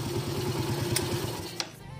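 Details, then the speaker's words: Yamaha Vega ZR / RR motorcycle, idling: light quick tick on each firing pulse, about seven a second, until shutoff; mechanic suspects a stripped/loose clutch nut, not confirmed. "ada suara titik-titik sedikit aja sih ada suara sedikit kelitik disini jadi agak risih gitu ya"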